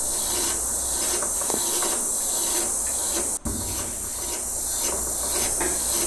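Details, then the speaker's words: Phase converter in a woodworking shop gives a steady hissing electrical hum that swells and fades about one to two surges a second, the surging noise behind a failure. "Yeah, here is where the noise on the phase converter. You hear that surging noise?"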